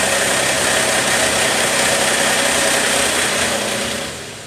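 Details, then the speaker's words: 2013 Mercedes ML350 naturally aspirated, check engine light and extended crank: loud fast metallic rattle over cranking and start-up that fades away once oil pressure builds; cam phasers rattling from low oil pressure at startup. "and all of those drop off right when our oil pressure is at our our curent highest point so we're getting phaser rattle noises being the loudest when we have no oil pressure"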